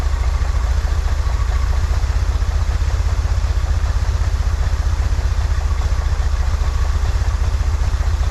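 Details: 1963 Corvair after vacuum leak fixed, new PCV valve, fuel mixture adjusted: even regular low putter at slightly fast idle, no stumbles or misses; "that's the sweet spot," idle still a little high. Normal idle.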